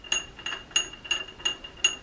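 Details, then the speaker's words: 1947 Planet Jr. BP1 tractor, wheel refitted on a greased hub: crisp evenly spaced clicks as the pawls ride over the catches inside the hub while the wheel turns backwards; they lock up to drive going forward. Normal ratchet action. "inside. They're falling into place and riding over those nubs on the inside of this hub, those catches, and that's going backwards with the wheel."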